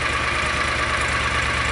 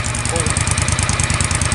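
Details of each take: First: John Deere Gator 625i UTV after the DIY auxiliary muffler install; even, steady idle with softened exhaust note and no rasp or popping, reading 82–90 dB and stabilizing around 82 dB. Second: John Deere Gator 625i UTV with stock exhaust, before the auxiliary muffler is installed; loud, steady pop-pop-pop exhaust popping at idle, roughly eighty sharp pops a minute, average stabilized at about 95 dB.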